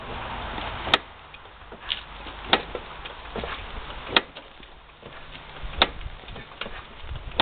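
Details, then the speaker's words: Yamaha Venture touring bike shaft drive: sharp irregular metallic clunks every second or two when the bike is rocked hard, slack in the drivetrain after hitting buckled pavement at highway speed; clunk isn't supposed to be there, ridden many miles with it. "clunk clunk clunk clunk isn't supposed to be in there"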